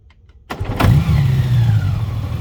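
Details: 2021 Honda Gold Wing DCT (SC79): sharp clunk as the engine catches at start-up, then settles to a steady low idle; cause unexplained.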